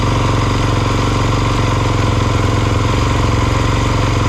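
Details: 2022 Kawasaki KX450, about 9.9 hours, single cylinder idling steadily and evenly after an All Balls fuel pump rebuild; before, it started cold but wouldn't restart hot.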